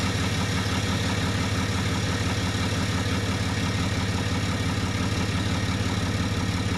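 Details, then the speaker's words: 2013 RAM 2500 6.7L 24-valve Cummins diesel, 90,000 miles, after replacing a turbo whose VGT actuator failed with a BD Diesel Screamer HE300VG turbo and a new exhaust manifold. Steady, even idle clatter with a smooth low drone. Normal idle. "I'll get a quick start up here for you guys so you can hear the 6.7 Cummins run."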